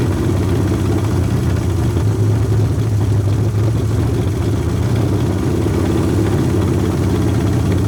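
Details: Long-sitting 1981 Ford Mustang 5.0 V8, carbureted, fuel pump bypassed with a pump feeding the carburetor: low idle with uneven, lumpy beat and misses; owner suspects a fouled plug holding heat; idling better than before.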